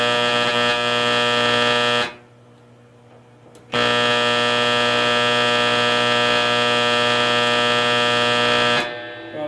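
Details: Cheaply bought used Cordovox solid-state accordion amp being tested on one of its inputs: a loud, steady, rough-edged buzzing hum cuts out briefly and returns unchanged. Mains hum on that input.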